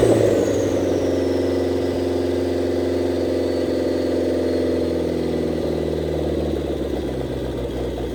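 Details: 1927 Ford Roadster with a 2.3L turbo, after fuel-line repair, on fresh 91-octane fuel. The engine revs then settles into a steady, even idle: normal running with no leaks.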